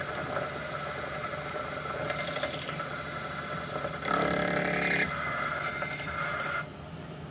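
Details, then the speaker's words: 1973 Hardinge chucker lathe cutting: steady cutting hum breaks into a harsh rattling clatter for about a second as the tool runs too far and hits the chuck jaws. "Went too far. Did you hear that? Means I started hitting the dad gum dogs."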